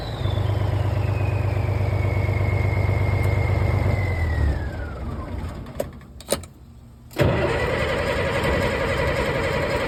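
Starter churns about three turns a second for several seconds without catching, then it fires and runs; cranks but won't start, likely fuel-starved.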